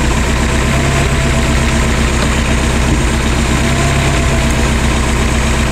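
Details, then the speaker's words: Lotus Esprit with twin Dellorto carburettors at idle: uneven, lumpy pulse with brief dips; pulling plug leads showed one carburettor doing all the work and the other nothing, carbs out of balance. "we took off two plug leads here then we took off these two plug leads and it ran hardly any different with these two off that one made a difference this one's not even idling on it when we took off these the engine nearly died yeah because this carburetor is doing all the work and this one is doing nothing yeah"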